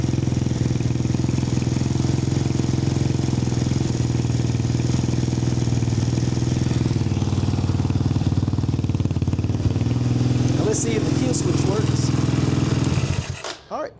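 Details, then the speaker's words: Apollo 250cc Chinese dirt bike, cold start after electrical repair restored spark and key switch: steady single-cylinder putter, no misfire or knock, then kill switch cuts it cleanly; normal running. "It's running good. Starts right up. That's a cold start."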